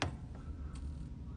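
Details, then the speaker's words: Lenovo desktop that won't power on: a few faint, uneven ticks over a low hum from the rear while plugged in, stopping when unplugged; suspected power supply or motherboard failure. "that kind of clicking starting sound comes back. So yeah, comment down below. Let me know what you guys think the problem is. I personally think it's either the power supply or the motherboard has gone bad."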